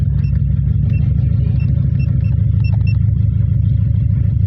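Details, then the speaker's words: Toyota Vios with a rough, lumpy idle and uneven low thump and check engine light: cylinder 3 misfire from a faulty number 3 ignition coil. "Oh ignition coil C talaga. Ignition coil C talaga."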